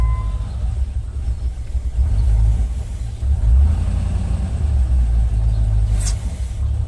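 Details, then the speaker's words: Land Rover 4.0 V8 that stalled after warm-up, fixed by clearing a blockage; steady, even low rumble with no stumbling or hunting; rpm stable, normal idle after the fix. "apparently there was some blockage in there and that took care of the problem so it's idling pretty good"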